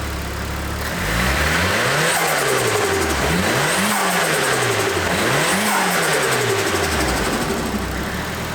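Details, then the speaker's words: Nissan 180SX with a 30-year-old SARD blow-off valve just fitted as a test, engine blipped three times: each rev rises and falls smoothly with a hiss as the throttle shuts. The blow-off valve vents normally. "sounds cool as fuck."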